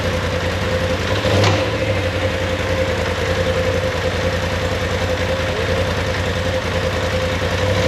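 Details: 2019 Polaris XP Turbo, about 5,500 miles, after engine rebuild for a failed crank bearing: even steady idle with one quick throttle blip, no knocks or rattles; settles back smoothly.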